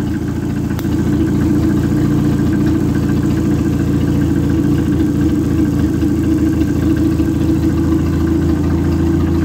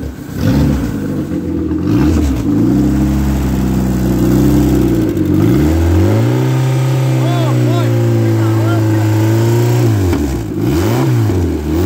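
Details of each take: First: Worn Neon engine from a retired race car running on a test stand, idling steadily but slightly lumpy with an uneven low pulse and no knock; no bubbles in the cooling system; compression test afterwards points to cylinder four causing the blow-by. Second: Ex-race Neon four-cylinder on a floor test stand, warming up: revs climb and fall cleanly with a smooth steady note, no knocks or ticks; no coolant bubbles, compression 180/180/175/180 psi, great oil pressure, healthy short block.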